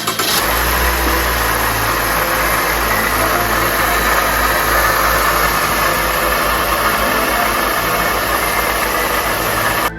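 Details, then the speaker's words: Toyota Voxy ZRR80 idling during pre-delivery work with the bonnet open: a coarse, steady grinding whir, with red coolant dripping down, blamed on the water pump, which was replaced. "流れ落ちる赤い液体。このイオンの正体はウォーターポンプとでも言うのであろうか。"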